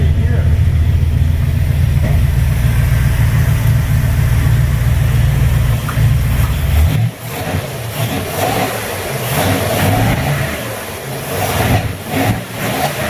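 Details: 1958 GMC 4x4 V8 first start, fuel seen passing the filter: deep rumble runs unevenly several seconds, then falters and stumbles lower; rough running, carburetor suspected gunked and to be cleaned.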